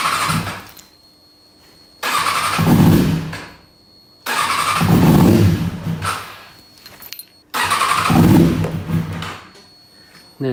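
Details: 2005 Kawasaki ZX-6R inline-four, ragged uneven start-and-run bursts, one cylinder not firing: lost power on track like a 3-cylinder, and that cylinder's exhaust stays cold while the others warm.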